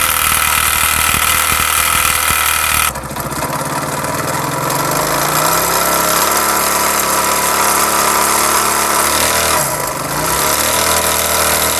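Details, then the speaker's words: Honda CD70 single at idle before teardown: a rough, uneven "dug dug" knock over the exhaust note, traced to the connecting rod, which is checked for play, with its two bearings to be changed. "उसके बाद दोस्तों यह है connecting rod जिसकी ज्यादा आवाज थी जिसकी ज्यादा साउंड था डग डग का इसका साउंड था"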